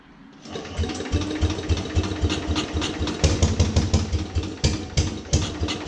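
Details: 1950s Agricat mini dozer, freshly rebuilt Briggs and Stratton model 23A, coil ignition, starter generator, choke and throttle not yet hooked up, cold start around 40 degrees in garage: catches within half a second, uneven popping beats finding idle.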